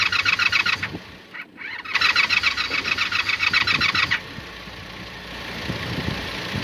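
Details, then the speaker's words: Carbureted motorcycle with suspected bad starter solenoid and leaking carb: quick regular starter churn, three to four beats a second, stopping and restarting, never catches; turns over but no firing. "At least I can turn it over, which is a damn good thing."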